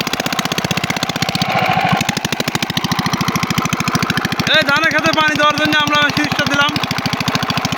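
Steady, even single-cylinder diesel chug with a firm regular beat and no misses; the engine is running normally.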